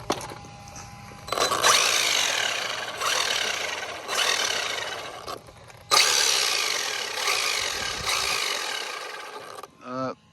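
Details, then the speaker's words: Traxxas Maxx RC truck upside down on throttle bursts: harsh raspy whir and gritty gear grind, worsening on track, from a failed cush drive, replaced with new housing, damper and bearings. "We noticed when we were last at that last track, I was hearing a lot of gear noises, and I kind of wanted to show you guys what I'm hearing."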